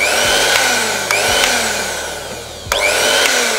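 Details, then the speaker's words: Miyako blender that was totally dead, repaired with a jumper without replacing the motor: high steady motor whine dipping and recovering with a few clicks; motor spins freely, normal running. "Oke sudah bisa nyala udah bisa muter Sip lah kowe ini"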